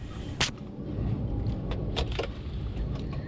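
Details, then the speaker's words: Porsche 928 electric-vehicle conversion powering up: a handful of crisp relay clicks over the soft low hum of the rear water pump spinning. Normal power-up. "I hear a lot of little satisfying click noises I can hear the water pump at the back one of them is just having a little spin"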